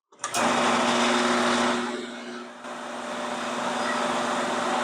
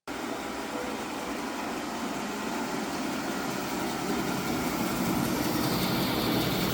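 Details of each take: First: 1985 18-inch bandsaw with its two belts removed from the motor: unloaded motor hums steadily with an even whirr, no knocking or wobble. Run-out is essentially zero, so the motor is not the cause; vibration traced to the belts. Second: 1985 18-inch bandsaw running with a rough, buzzy rattle and uneven pulse, shaking badly after moving onto a new raised mobile base (none on the old base); vibration traced to slack drive belts.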